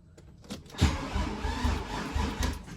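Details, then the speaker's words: VW VR6 rebuilt engine on first start attempt after oil priming: the starter turns the engine in slow, labored pulses without catching; battery too weak, jumper needed. "Yeah, it's not enough juice. Let's put the jumper on it."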